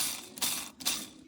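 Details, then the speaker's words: Citroën C3 phase 1 clutch release bearing, gearbox removed, bearing spun by hand: dry gritty hissing rasp in bursts; this whistling bearing was the source of the noise; worn clutch release bearing, clutch being replaced. "Et donc ce qui faisait du bruit, ça sifflait, c'était lui, la"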